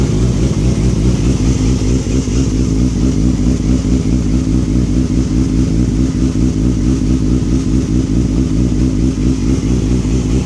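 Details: 2007 Yamaha R6 motorcycle idling unevenly with lumpy, stumbling pulses; rough idle, cause not yet pinned down.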